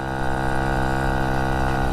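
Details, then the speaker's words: Vespa Ciao with a new engine, 43mm DR kit and new exhaust, at steady speed: uneven burbling four-stroking instead of a crisp ring, not reaching the power band; owner suspects the 50 jet is too big and needs about a 48. "so it sounds like the jets almost too big just kind of four stroking but yeah that's what's happening because it doesn't feel like it's getting into the power band"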